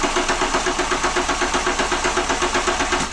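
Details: Renault Clio 182 after new timing belt and dephaser, fuel checked with no leaks: steady rhythmic cranking about four beats a second with no firing, only the starter turning the engine over; cranks but won't start.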